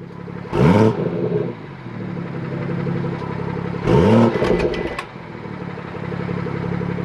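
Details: BMW F30 340i after fixing the exhaust valve rattle by fitting a new clip: two sharp rev blips that drop cleanly back to a smooth idle, with no rattle on the way down; engine sounds healthy.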